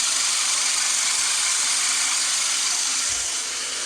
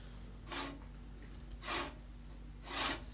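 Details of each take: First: Great States manual push reel mower being backlap-sharpened: reel spun against bed knife with lapping compound gives a steady gritty grinding hiss and rasp with even ticking about three per second, getting smoother and more even as it goes. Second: Great States manual push reel mower after backlap sharpening with lapping compound, reel turned by hand: three even, light swishing passes across the bed knife with no catching, smooth and even; the reel cuts properly and is ready to use.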